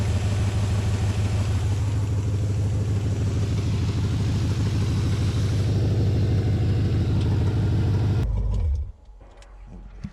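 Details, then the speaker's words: LS-swapped Chevy S10 V8 warming up to test newly installed electric fans: steady, even idle with soft fan rush; one fan came on (set around 184°F) and is set to run 30 seconds after shutoff, while the 194°F fan never came on. "this one's on as you can hear it's still running it's gonna run for 30 seconds after it uh after the engines off just try to help cool things down"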